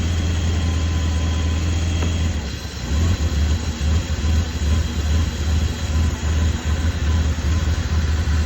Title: BMW E32 Rough Idle & Shimmy